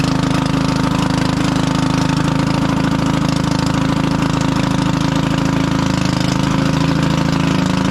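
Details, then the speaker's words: 1996 Craftsman LT1000 lawn tractor single-cylinder engine, revived after mouse nest, idling with loud raw rapid exhaust bark as if unmuffled; cracked muffler causing loud exhaust. "H so hard for you to tell but this thing is so loud it sounds like it doesn't have a muffler but it does"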